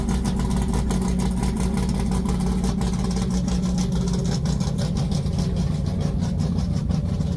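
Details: Big-block Mopar V8: a deep, even idle with a lumpy cam beat and a throttle blip, no ticks or knocks; healthy.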